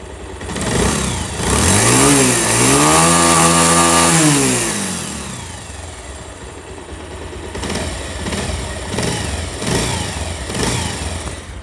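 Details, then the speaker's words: Old Pulsar after rocker washer repair: even idle blips to a clean rev and settles to smooth tick-over, no rattle; tappet adjustment planned after 200-300 km for even quieter running. "Viewers আশা করি বুঝতে পারছেন সাউন্ডটা একদম perfect sound."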